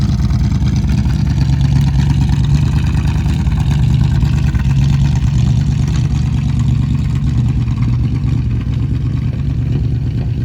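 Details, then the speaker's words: Car after major engine repairs, starting and running: deep, even rumble that stays smooth and steady with no knocks or stumbles; sounds healthy. "But hopefully she starts on Q this time. Woohoo. She sounds really good now."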